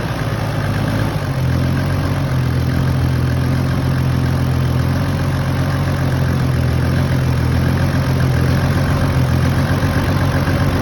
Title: 1HZ power loss/rough idle